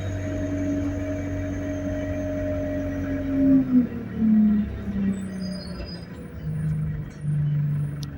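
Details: Go Ahead London Central ADL Enviro200 bus YX13AFY on route B16, riding aboard: steady high whine over the low drone drops away as speed changes; high idle RPM and turbo screech noted; whine source unclear.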